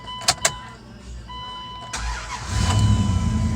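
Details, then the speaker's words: Dodge Durango after starter replacement: a couple of sharp clicks, short crank, engine catches promptly into a steady idle; new starter works. "I just finished the starter. Let's see if it starts. Sweet. One more time."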